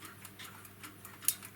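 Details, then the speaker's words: Tri-ang Super 4 model railway point (R.490/R.491) with new homemade replacement lever spring: sharp crisp single snaps as lever is thrown, spring holding points firmly with a nice reassuring click; healthy. "it should just nice reassuring click"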